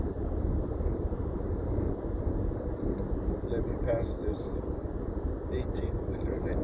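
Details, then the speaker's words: New 2020 Toyota Highlander Platinum, 2,286 miles, cabin at 75 mph: steady rushing roar around both front windows, worst on the driver's side, no mechanical rhythm; bad wind noise, owner unsure whether a door or window seal is needed. "here uh right now i'm going to speed limit which is 75 miles per hour and the wind noise is pretty bad"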